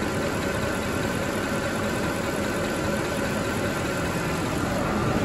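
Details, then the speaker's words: Mercedes ML63 AMG M156 V8 after topping up low oil: even, steady idle with no ticking or tapping from the top end; the earlier lifter noise was from low oil and is gone. "i can almost guarantee that that lifter noise we were getting was because the oil was low we went away immediately right now nice and smooth"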